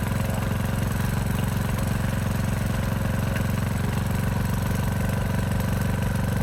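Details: Craftsman DLS 3500 tractor, Briggs & Stratton OHV Intek engine, after head gasket replacement, warm after about 10 minutes of running: deep even single-cylinder thump at steady idle, no skips, knocks or hunting, smoking gone; running properly.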